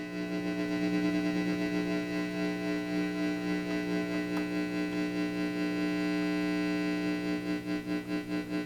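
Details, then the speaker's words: Fender 68 Custom guitar amp, previously no sound, after speaker reconnected at low volume; steady hum pulsing a little over two beats a second with tremolo, bass and treble respond: power amp and preamp working. "That's kind of cool. So, we have a power amp now. That's nice. And a preamp cuz we get bass and treble differences."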